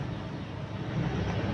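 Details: Nissan Navara D40 diesel engine held near 1000 RPM, giving a heavy throbbing low rumble with strong vibration.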